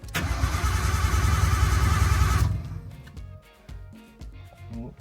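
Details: Nissan R32 Skyline with freshly installed RB20, first start attempt, fuel pressure about 20 psi too high: starter churns at three or four beats a second for 2.5 seconds, never catches; cranks but won't fire, cause unconfirmed.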